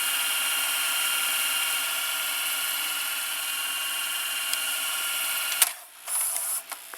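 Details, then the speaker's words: Toshiba M659 stereo VCR (early 1990s), fast-forward: smooth, high, even whirr holding steady over five seconds then stopping cleanly; very fast for its age, same idler as owner's other Toshiba; idler drive normal. "it's fast-forwarding into pretty good speed it's very fast for early nineties VCR like this the fast-forward"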